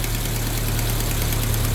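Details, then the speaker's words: Chevrolet Montana/Agile pickup at idle during cooling-system flush: deep even idle with quick puffing tick in time with firing; exhaust leak that quietens as the engine warms. "Olha o barulhozinho aí, ó. Isso aqui é vazamento no escapamento, tá vendo? Vai aquecendo, esse barulho vai diminuindo."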